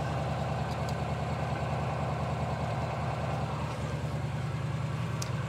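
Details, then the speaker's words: 2018 Mahindra Retriever 750 UTV V-twin idling during a charging-fault check: a steady, low, lopey lawnmower-like idle, even and unbroken. Normal idle; running voltage reads only 11.99 V and doesn't rise with revs. "It does, it sounds like a V-twin lawnmower."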